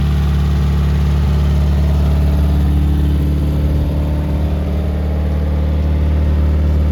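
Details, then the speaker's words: 1972 Toyota Celica, swapped used 18RC engine, Weber 32/36, first start in 20 years, exhaust not properly fitted, timing suspected off: rough loping idle, low drone with irregular puffing tick; smoky; exhaust leak. "boom it runs oh that was really smoky well we got an exhaust leak down here"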